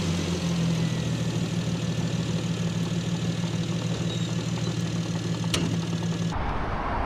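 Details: Single-turbo BMW N54 at 17.5 psi after index 12 injectors and new tune: loud regular knock about three times a second at idle, started suddenly after first pull; metal in oil filter suggests spun rod bearing, owner unsure, piston slap possible.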